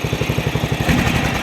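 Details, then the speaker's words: Briggs Vanguard engine on a hydro-drive mower after carburetor work, slightly low on oil, fuel line too long: even, steady low thumping at a quick regular beat with no misses or knocks. Normal running. "These Vanguards got a nice sound to them, though, for sure."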